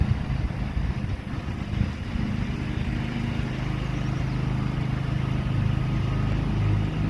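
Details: John Deere 325 lawn tractor mowing after a push-button start was installed to replace the failed ignition key switch; steady, even drone holding pitch under load, no misses or knocks, running normally.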